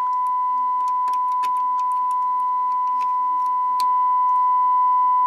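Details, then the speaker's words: Realistic STA-2100D amplifier back on warranty, driven by a signal generator into speakers while parts are tapped: steady test tone jumps louder near the end; intermittent output traced to a faulty 6800 pF (6.8 nF) capacitor, to be replaced. "it got louder but that is yeah that's problematic these capacitors this one is a 6800 picofarads so it's 6.8 nanofarads"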